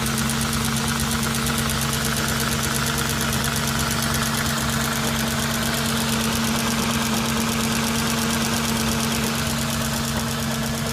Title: S4 b6 cold idle engine knocking